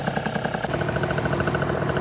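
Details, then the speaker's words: Vento Triton R4 two-stroke after carb re-tuning with a 104 jet and the intake splash guard removed, ridden at full and half throttle, temperature 187. Steady, crisp, even pulses with no stumbling; running clean and healthy. "all of our way here she ran great she is much happy with that guard form I'll tell you that"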